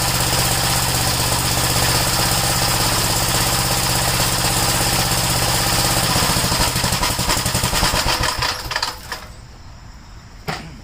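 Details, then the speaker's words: Gravely single-cylinder tractor idling after the kill switch was sorted out: brisk, even popping for several seconds, then it winds down cleanly at shutoff; normal idle. "That started up pretty good, considering I put the kill switch on."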